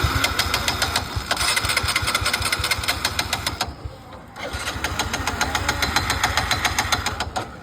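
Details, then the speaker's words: Vikranta V15 single-cylinder bike when hot: ragged beat, sags and nearly dies, then stops after a short ride; spark intermittently drops out, present on one side but not the other. "फिर देखो कहां दिक्कत बता मेरे मित्र थोड़ी दूर चलाया और फिर ये बंद हो गई गाड़ी"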